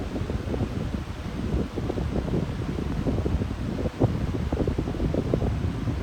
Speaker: very surprised that it's not making that loud humming sound that it usually does on medium. I'm pretty shocked by that because usually it doesn't.